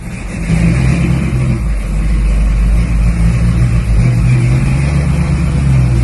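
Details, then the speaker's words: HQ Holden ute with a newly swapped 350 Chevy V8, first drive while running in: deep, even V8 rumble pulling steadily under acceleration with no knocks or shudder; running smoothly, though a bad vibration around 80–90 km/h is mentioned. "the car has never run so smooth"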